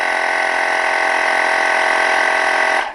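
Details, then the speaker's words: Portable tire inflator filling a 1972 Honda Z50 Mini Trail tire to about 10 psi: a steady, even buzzing pump runs under three seconds, then cuts off cleanly at the preset pressure; normal automatic shutoff. "10. And it shuts off. We're all done."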